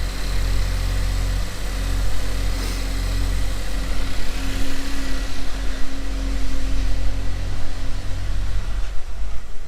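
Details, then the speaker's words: Engine first fire-up after repair, coolant and oil filled, EVAP hose plugged for now; smooth even low rumble with no knocks, misses or ticks; normal idle. "she uh she runs pretty darn good so there you"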